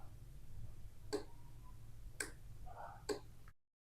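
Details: MOSFET electronic switch circuit replacing a wall switch, with a 100 nF capacitor between gate and ground: three crisp relay clicks about a second apart with no buzz between; relay switches on and off properly.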